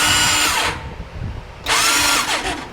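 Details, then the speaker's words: 2019 Massimo T-Boss 410 EFI UTV, key on with seat up: two bursts of high starter whine rising and falling with no engine turning; starter spins freely, suspected failed one-way sprag clutch behind flywheel, replaced. "and my guess is going to be it's going to be the one-way bearing on back of the fly wheel has gone bad so we're going to end up changing that out"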